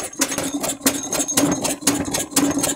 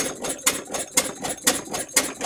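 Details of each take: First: Large-scale Edgar T. Westbury Wyvern open-crank stationary model engine, autojumble find, running clamped to a workbench: sharp metallic clatter about twice a second in step with each beat as loosened clamps let the engine rattle on the table. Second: Westbury Wyvern open-crank model stationary engine, probably built around 1985, bolted to a workbench and started on choke with fresh fuel in the carb: sharp, regular firing pops about twice a second with light mechanical clatter between them, running normally.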